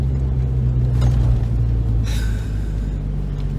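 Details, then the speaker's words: Ford Focus ST225 2.5L five-cylinder turbo idling with a deep, lumpy rumble and an irregular thump, a misfire that is getting worse. The owner suspects the spark plugs, then the coil pack or mass airflow sensor. "the other day the Ford has developed another issue I'll try and demonstrate it that is a misfire my friends"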